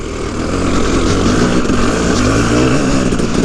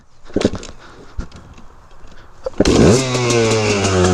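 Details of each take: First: KTM 300EXC two-stroke revving: a loose, uneven clatter as the chain rubs the frame because the bottom chain roller and its whole mount have broken off. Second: Restored KTM 300 EXC two-stroke, cold start on choke before test ride: crisp start, revs swing up then settle into steady popping idle about three beats a second; healthy.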